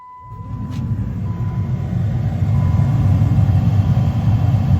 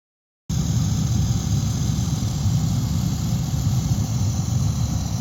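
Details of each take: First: 2012 Jeep Liberty after blower motor replacement, fan switched on: a smooth, steady airflow rush with no rattle, tick or squeal; much quieter than the old motor's grinding, now running normally. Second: 2012 Jeep Liberty HVAC blower motor: rough, uneven low grinding under an airy vent hiss with weak airflow, blower motor failing and due for replacement.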